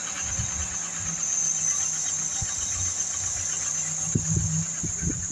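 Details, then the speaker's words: Mk3 Ford Cortina Estate, warm after spark plug gap corrected: idle drifts up and down with loud steady hiss; hunting idle, mixture suspected, not confirmed. "Oh, it's up and down a little bit. That's due to the mixture, I think. Not quite running right, is he?"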